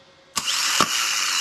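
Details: BMW N54 (E90) with no-crank no-start: a starter from the E93 convertible bench-tested shows a sharp engagement clack then a clean high whir holding steady, as a working starter should; the car's own starter is dead.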